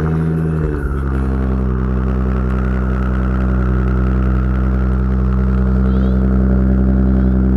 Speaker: Sounds great. Dude, it does sound good.